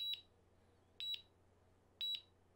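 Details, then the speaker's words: DJI Mavic Air controller return-to-home alert: a chime starts, then high, short double beeps repeat once a second until the drone returns home; pressing the button again or pause stops it. "another noise that the dji drone drones make is the return to home button and it sounds like this so it's a chime that starts initially did it and then it continues like this until the drone returns home"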